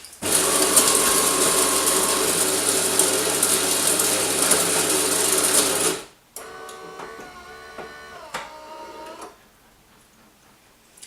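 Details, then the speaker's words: Bosch TES50129RW_BK bean-to-cup coffee machine making an espresso: loud, even gritty bean grinding for about six seconds, then quieter hum and ticks as the water heater starts; normal grinder operation. "as you can hear the grinding beans is a little loud what I would say is that personal experience is that it's not as loud as other machines"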